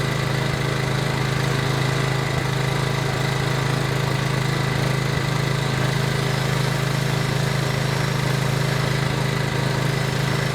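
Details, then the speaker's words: PowerBoss 5500 W generator, Briggs & Stratton 9.5 hp OHV, rebuilt from parts, restarted with priming fuel: smooth even single-cylinder drone at steady governed speed, no misses or surging; running pretty good. "all right we have some success here it's running pretty good"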